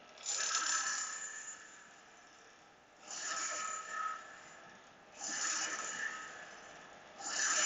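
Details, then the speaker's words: Graviflyer rotor rig driven by high-voltage supply, frequency being tuned down toward 80: hissing scrape bursts about every two seconds with quiet gaps; brush hitting a little faster – intermittent brush rub from rotor vibration. "sounds like the brush is hitting a little faster now the goal is to make the brush hit like constant or not at all that means that the vibration is lessened"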